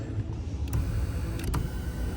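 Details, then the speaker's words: 2014 Kia Cadenza driver power seat after repair: a low, even motor hum with no grinding. A displaced protective boot had been riding the rail and causing vibration and noise, and freeing it fixed this. "For some reason, somehow that whatever protective boot is at it, somehow it moved through the um rail and causing the vibration and noise, but now it's gone."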